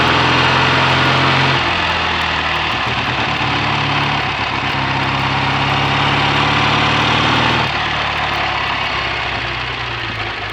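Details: BSA A65 Thunderbolt twin with Boyer ignition, on a short test ride after closing the spark plug gaps cured an occasional misfire under load; new plugs, resistor caps and battery: steady even idle at about 3.5 pulses per second, no misses; normal idle.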